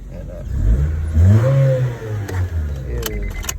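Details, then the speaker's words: 2001 Honda Civic EX 1.7L after fuel pump replacement, lines had been empty: brief crank, starts right up, quick smooth rev, then an even hum; normal start-up. "good to go listen you hear that humming that's what i like it hums now got her in there she started right up"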